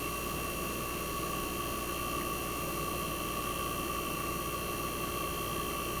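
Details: 1965 Fedders Weather Wheel air conditioner just after cold start in a very cold shop: steady even hum, constant mid tone, no knocking or rattle; compressor smooth and quiet at almost 59 revolutions per second, head pressure starting to build.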